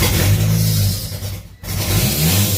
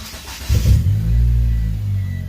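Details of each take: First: Mitsubishi Eclipse GSX 4G63 at first start: revs surge and sag unevenly under worked throttle with a lumpy, stumbling misfiring beat; won't idle without gas, owner suspects a bad vacuum leak. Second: Mitsubishi Eclipse GSX 4G63, complete cold start after vacuum leak fixed; engine catches and holds a steady low idle with no pedal, no stumbling or hunting, running normally.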